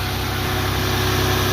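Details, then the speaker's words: 1996 Toyota 4Runner 3.4 V6 started after sitting unused for two years: started right away and holds a steady, even low idle with smooth regular pulse, no knocks, misses or ticks. "it's been part for two years never turn it on haven't moved it as you can see it's been Park here for a very long time and it still turned on right away"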